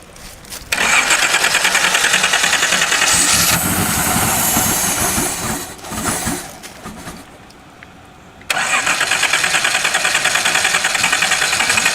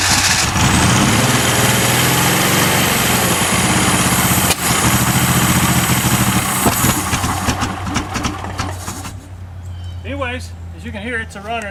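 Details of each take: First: Donor 1977/78 Datsun 280Z engine test-run without its fuel-injection wiring, fuel sucked in through vacuum from tank of old two-stroke gas after an ether shot; cranks, catches, runs raggedly, sags nearly to stall then recovers; rough running. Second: Donor 1977/78 Datsun 280Z engine, sat outside, slightly seized, oil put in cylinders, fed fuel by hand with a little throttle: catches and settles into a steady, slightly ragged beat, smoking from the oil; engine runs.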